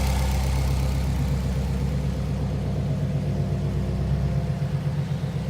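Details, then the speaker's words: 2005 Subaru Impreza WRX STI, 44,956 miles, modified, warm idle: low even rumble, steady rhythm, no ticking or rattles, no piston slap; everything sounds as it should. "Idling. Everything sounds as it should. No funny noises."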